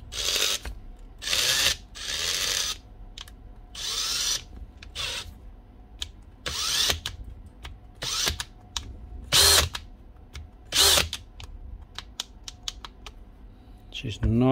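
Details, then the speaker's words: 2017 Makita DHP459 brushless drill bursts on and off with a ratcheting chatter, speed not holding; first gear slipping out, an intermittent gearbox fault. "always going to on to first gear see that L that's slipping out right looks like an intermittent fault on the gearbox"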